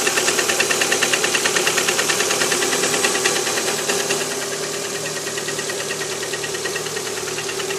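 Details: Lada Priora 126-series petrol engine at cold idle on a 10 °C morning: a sharp, even metallic knock about three per second, easing slightly as it warms. Piston slap in cylinder four (stops with its coil removed); fixed by repair.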